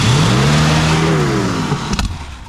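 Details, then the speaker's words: 1965 Mercury Montclair with 390 FE big-block V8, rescued and restarted after sitting: engine flares to a hard rev then slowly sags as the throttle hangs open; accelerator pedal stuck down racing the engine until switched off. "I turned it off because the foot feet stuck down."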